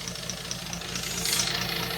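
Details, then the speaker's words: British Leyland Princess 2200 automatic, first start after sitting, cold engine: low steady idle hum with sharp irregular crackling on top, possibly missing on one cylinder at first; crackling noise at cold idle. "got a slide sound like let's have it but well it's a cold engine though"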